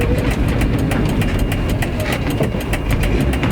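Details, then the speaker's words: Renault Trafic with swapped C1J engine running: sharp regular puffing ticks over a rough low rumble from a crack in the first silencier between the engine pipe and the first silencer; exhaust leak. "sachant que j'ai un trou j'ai une fissure sur le premier silencieux entre le tube entre le moteur et le premier silencieux il y a une fissure au niveau du silencieux"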